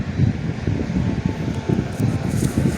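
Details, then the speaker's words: Box fan used outdoors, fitted with a longer cord, on high speed: steady low rush of air with a soft, uneven whooshing throb; noisy air whip, but running normally. "see we can hear the air whip yeah these box fans are noisy and i hate them but um they make really good outdoor fans"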